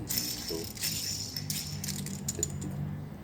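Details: Car wheel bearing turned by hand during a brake repair gives a gritty, uneven rattle instead of a smooth spin. Both inner and outer bearings are badly worn and need replacing.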